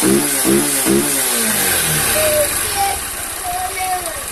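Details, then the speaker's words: Honda CG 160 Fan with 6,000 km, after valve adjustment and warm-up: a few throttle blips, then a smooth, even idle. The valve tapping heard at cold start is gone, and the engine sounds normal. "pronto galera Ó o BR ficou já ó Parou de bater as válvula agora galera ficou normal"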